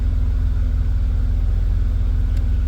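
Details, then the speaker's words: BMW E34 heater blower motor, previously not turning on, tested after replacing a 30 A fuse: steady even low hum with constant tone, air coming out; blower now working. "Yeah, there's some air coming out. Can you hear that? The blower motor is working."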